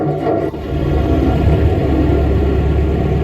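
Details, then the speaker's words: Old Ford 2N tractor started before replacing badly worn spark plug wires and working on the carburetor. Deep uneven rumble with a stumbling, irregular beat; running rough, unfit to drive, then it dies and won't restart. "Nah, it sounds awful. Yeah, this thing ain't no condition to drive. I'm not even gonna try to pull out with it. And it died."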